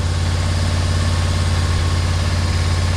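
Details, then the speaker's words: 1991 Yamaha Venture Royale motorcycle, revived after sitting, first cold start on full choke in neutral: steady, even low burble about three beats a second. A healthy cold idle. "that's funny it runs runs good too yeah I'll let it warm up a bit and we'll see if it runs without the choke"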